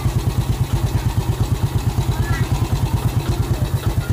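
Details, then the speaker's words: Yamaha Vega ZR single-cylinder after piston and camshaft rebuild: even thumping idle with light click near the clutch; suspected worn clutch housing rubbers and noisy centrifugal clutch shoe rubbers, clutch plates being replaced. "Karet rumah kopling ini kayaknya sudah oblak, dan karet kampas ganda kayaknya juga agak sedikit bunyi. Tuh, klek kayak gitu. Itu suara kampas ganda."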